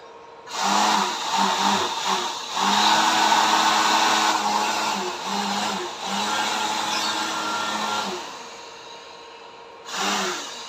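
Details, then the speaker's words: Homemade blower built from a used electric motor, fed through a transformer turned up to maximum: smooth, even whirring hum starting and stopping cleanly, no rattle, unlike the earlier rattling run; normal running. "Bagus, suaranya halus. Tidak seperti dulu. Sebelumnya sangat berisik, sekarang sudah"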